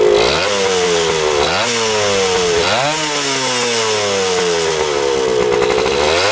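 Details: 1977 Kawasaki KE100 two-stroke enduro, revived after 10 years parked, no air filter: sharp buzz rises cleanly, falls and climbs again through several blips; revs out freely without bogging or stumbling.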